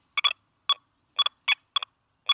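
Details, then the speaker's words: XP Deus II on heavy-iron settings over a thrown-down iron ring/spade: seven short, choppy, broken high beeps, the rough, forced, non-smooth signal of iron targets. "That is a very forced signal. It is a not smooth signal."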